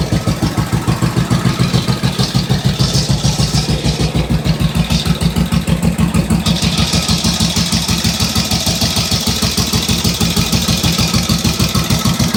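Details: 1945 Indian Chief V-twin after a rebuild with new rings, honed cylinders, lapped valves, new head bolt washers and intake manifold seals: loud, steady lumpy beat of about three pulses a second with no knocks; normal idle.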